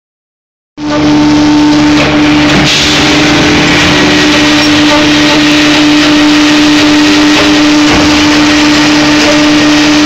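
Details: Hydraulic LP drive making strange noises, loud steady hum with rough mechanical noise underneath; after 3 minutes of operation the switching valve and cylinder number one run hotter than all other components; cause not pinned down.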